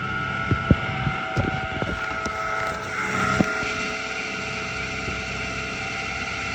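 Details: 2009 Toyota Tacoma 4.0 1GR-FE V6 at idle: loud, steady high-pitched squeal with a few light clicks, intermittent over the past year and worsening, mainly cold but also warm, goes away with rpm; source unknown, water pump, new alternator and power steering pump sound alike.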